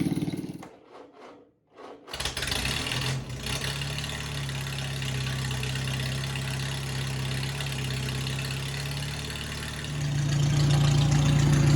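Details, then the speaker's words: Farmall M tractor with flathead engine swap, started after battery mount and cables were fitted: cranks briefly, catches, settles into an even idle of about three and a half beats a second, then picks up; runs good, normal idle. "all right she runs good so we're going to move on to the coil Mount"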